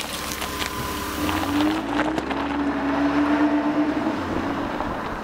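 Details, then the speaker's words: Even, steady idle with no stumbling, misses or knocks on a Bosch K-Jetronic Mercedes after fuel injector replacement, hot restart after sitting 20 minutes, where it previously had problems. "Aha! Look at that! It started right up and idles fine. Listen to that baby."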